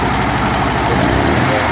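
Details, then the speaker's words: Barn-find VW 40 hp air-cooled flat-four, pushrod tubes and seals replaced, first fire-up installed in a 1963 Beetle, took a couple tries to start: dense, busy clatter at a steady level, no stumbles; normal idle. "But it starts up, it idles, sounds good."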